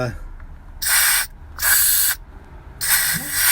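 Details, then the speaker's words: Heating oil work truck air ride seat after the welded shock mount repair: three clean, even bursts of air hiss filling and dumping. The seat moves up and down and the shock absorber now works right. "Oh yeah. Now that shock absorber is working right."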